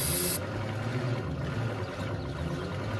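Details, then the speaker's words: 1948 Ford F4 with flathead V8, sitting for 20 years: sluggish, labored cranking with a low uneven churn, caused by the way it was wired. Cranking improved after rewiring. "It's pretty slow. All right, so you weren't getting very good turning because of how we had it wired."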